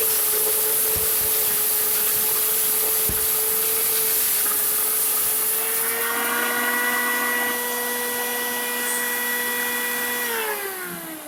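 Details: Farmer IZE-05 grain grinder set to its coarsest grind, with corn poured in volume: a steady mid-pitched motor whine shifts and wavers as grain feeds in, then sags and winds down; the motor bogs under the corn load.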